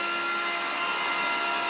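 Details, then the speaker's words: 427 Cobra build with EFI, ignition on, gas in the tank for the fuel leak check: steady high-pitched fuel pump whine building pressure, with fuel heard cycling back through the return and no surging or rattle; pump priming normally, no leaks. "up the pressure and now I can hear it cycling back to the return dripping back and I go up here and look in the front and no gas leaks which is awesome"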